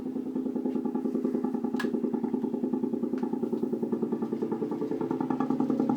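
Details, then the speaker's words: Apartment sink drain with the air conditioning on (set to 76°F): steady low-mid drone pulsing about three times a second, louder closer to the drain, present only when the AC runs; source not pinned down. "basically that's it that's where the sound comes from only when the AC is on"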